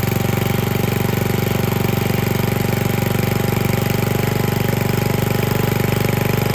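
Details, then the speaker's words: Small single-cylinder engine of unknown origin with a replaced carburetor and no adjustable throttle, swapped into a circa-1959 David Bradley Suburban tractor. Holds a fast, fixed speed with a slightly uneven beat and never settles to a low idle. "so it doesn't run perfect it's uh it's got a few little odd things but it runs pretty good now this motor doesn't have adjustable throttle speed"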